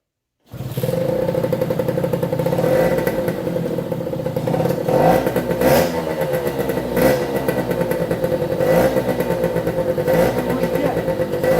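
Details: 1973 Suzuki TS50 two-stroke, first start after full restoration, choked, started on one kick: settles into a crisp, even buzz, picking up cleanly on each blip; air still in the oil pump lines; healthy running.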